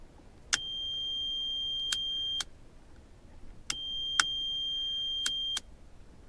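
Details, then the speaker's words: VW Passat B3 after headlight low/high beam wiring repair: high steady beep about two seconds, second-long pause, repeating with clicks; lights-on warning buzzer sounding properly. "Вот наша загорелась. Вот даже пищит. Наша пищалка."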